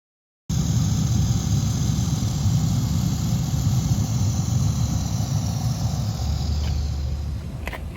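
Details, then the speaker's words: 2012 Jeep Liberty HVAC blower motor: rough, uneven low grinding under an airy vent hiss with weak airflow, blower motor failing and due for replacement. "You hear that? The blower motor is making a grinding noise, and there's not a lot of air coming through the vents. So I'm going to say that means the blower motor is going bad, and I'm going to replace it."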